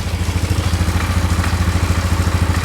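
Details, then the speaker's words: 2001 Polaris Scrambler 500 2x4 idling after a no-spark fix: steady single-cylinder idle with a tinny clatter on each firing pulse coming from something loose at the end of the exhaust. "Yeah, it's coming out of the exhaust. Like the uh end of the exhaust right there."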